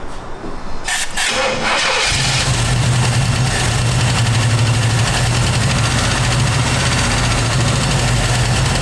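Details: Classic V8 car with a no-start, after tapping on the starter: a couple of seconds of cranking, then it catches cleanly and settles into an even, steady idle; normal start and idle.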